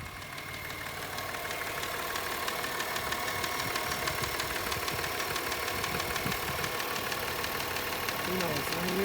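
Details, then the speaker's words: 2003 Subaru Outback Limited, AWD, 318,400 miles, check engine light on, gasket recently replaced: light regular ticking about three per second over steady idle, heard sitting by the key; top-end clicking of unknown cause, mechanic also noted noise. "let me turn it on and you can hear the clicking noise sit by the key"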